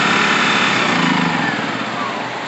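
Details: Generac GP1200i inverter generator (model G0076710) after carburetor cleaning, rebuild and reassembly: steady, buzzy small-engine drone at even pitch, no misses or hunting; running smoothly and normally.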